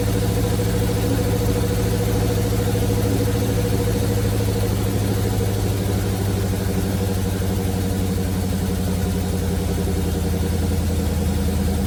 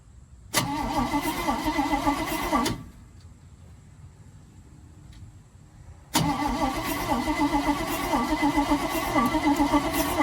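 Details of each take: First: 1971 Chevrolet C40 truck V8 after carb cleaning: steady, even low rumble at idle with no misses; running really well, blow-by minimal. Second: 1971 Chevrolet C40 truck after extensive carburettor cleaning: two bursts of steady, fast starter cranking with an even chug, never catching; no spark.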